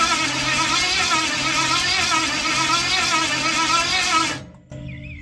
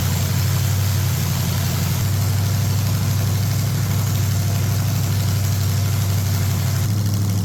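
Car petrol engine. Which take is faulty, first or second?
first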